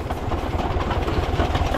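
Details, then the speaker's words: VW Beetle-based buggy push-started by rolling: low rapid chuffing as the engine turns over, but revs never rise and it never fires or catches, no start on the push start. "não vai não liga vai virar a parte mais gostosa de quando o branco não funciona"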